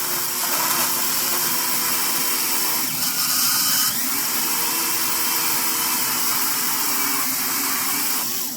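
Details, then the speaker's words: Tyco Grand Trunk Alco C430 model locomotive, power torque drive after cleaning and oiling and a few minutes at full speed: a high-pitched motor whir with a faint wavering squeak. The gear squeak persists; cause unconfirmed. "I've already done it, but I'll show you what I was doing. Is I was just... I've still got a little bit of a squeak."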